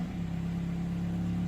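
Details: 2005 Toyota Matrix with 260,000 km, idling in neutral: smooth, even low drone with steady pitch and no knocks or stumbles. It behaves oddly in park but sounds normal in neutral. Normal idle.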